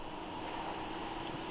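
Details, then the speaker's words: Radiator cooling fan commanded through the high-speed relay with a Launch CRP919X output test, low-speed relay gave nothing: steady, even rushing whoosh with no rattle; fan runs normally on high speed. "Let's go back to the other relays. So let's go to the high speed relay and hit on."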